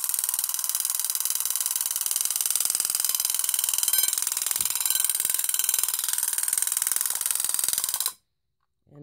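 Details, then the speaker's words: Vintage Vulcan Autosonic Mk. 30-A (VA-M-30FT) windup heat detector bell triggered by test button: loud, bright, even strikes about four a second for eight seconds, then stops; working properly. "yeah it's pretty loud definitely get your attention if the thing goes off"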